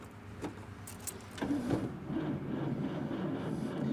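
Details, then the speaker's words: 1954 Packard Clipper Deluxe straight-eight flathead, 6-volt positive-ground system, battery not fully charged: sluggish, uneven cranking about three turns a second that doesn't catch. Owner suspects no spark. "And you can hear it. The battery's not fully charged, but it is a 6-volt, and that is the way they run."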